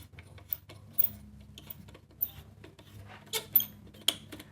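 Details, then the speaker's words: Mid-1970s Greco PB750N P bass from Matsumoku, about 50 years old: scattered sharp, dry squeaks and creaks as the tuners turn during string removal, from corrosion under the mechanisms. The tuners are to be cleaned and lubricated. Squeaky corroded tuning machine. "very squeaky so there's obviously some corrosion that underneath the mechanisms"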